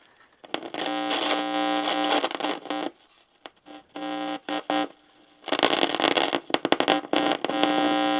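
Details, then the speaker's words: Lafayette guitar tube amplifier on an isolation transformer and variac at 120 V, before restoration. Hum and hiss cut in and out in crackly bursts as the knobs turn. Both the volume and tone pots are scratchy and noisy; some noise could be from a tube, though microphonics seems unlikely. "Both of them are scratchy and noisy. Some of that noise could be from a tube."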